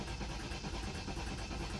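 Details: 2013 BMW 528xi, about 150,000 miles, cranked on a jump pack: rough, uneven cranking with heavy low churning that never catches; no start, and the sound suggests no compression.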